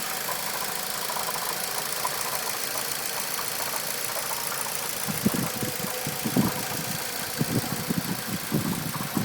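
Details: Stock Mitsubishi Evo X MR, about 300 miles: steady hiss then irregular dull knocks roughly once a second, loud engine knocking heard from the cabin at idle and when accelerating; cause unknown.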